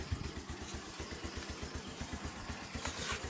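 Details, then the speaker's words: Bajaj CT100 single-cylinder idling after a muffler repair: soft, even putter at about four beats a second, quiet like the original, with no rasp or blowing. Normal idle. "Parang original ang tunog. Tahimik na tahimik. Yan ang mga gusto kong tunog."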